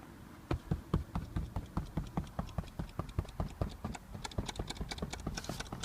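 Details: Audi A4 8K B8 passenger seat: sharp, dry, irregular clicks at about two to three per second, a rattle from under the headrest.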